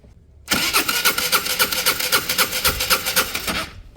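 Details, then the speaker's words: Peugeot Satelis 125cc scooter on fresh fuel, no fuel pumping and lock sign lit (owner fears immobilizer): steady fast starter churning about four pulses a second for three seconds, never firing. Cranks but won't start; cause suspected, not confirmed. "So the lock sign come back on, but also there's no fuel. No fuel's pumping there."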